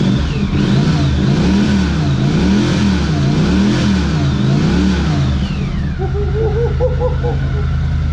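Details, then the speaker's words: 1982 Honda CX500 Turbo, unrun for 25 years, running after a new fuel pump and ultrasonically cleaned injectors. The twin revs up and down in clean repeated blips, with a rising turbo whistle and boost building on each; healthy, crisp throttle response. "Yes! We got a running turbo, folks. Turbo Thursday will never be the same. Listen. Yeah, baby, listen to that sucker."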